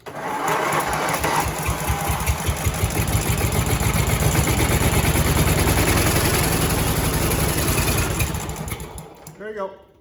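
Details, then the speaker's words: Briggs V-twin on a John Deere tractor, spark confirmed on both cylinders: after turning the key it catches and settles into a steady, even chugging run for several seconds, sounding healthy. "She runs. So what it was is I did not have, and I don't have enough fuel in the tank. I didn't have the key turn for it."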